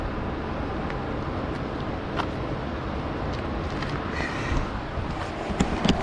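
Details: Small single-cylinder go-kart engine, rear jacked up, after sitting outside an unknown time: stumbles along unevenly with no steady beat, loping and ragged; owner suspects the carburetor needs cleaning, not confirmed.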